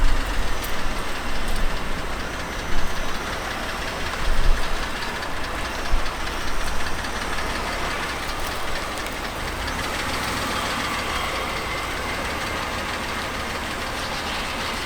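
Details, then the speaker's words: BMW X5 E70 with N52 3.0 engine, sitting two years, first start after a new Bosch starter was fitted; fast light tapping over a rough idle, owner blames poor oil supply, runs well otherwise. "of course you hear the tapping noise but i mean come on the car's been sitting for two years oil supply is not there everything but damn it runs good"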